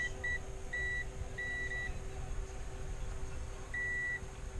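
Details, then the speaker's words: Spedix IS30 30A ESC, new build with ZMX Fin 40 2633KV motors, motor twitching in Betaflight motor tab and running hot: high beeps over low hum, one short chirp, two long tones, pause, long tone; owner suspects a bad MOSFET. "So I'm not quite sure what's going on, but there's something like a gate or something in one of these, I guess MOSFET, that has went bad, possibly."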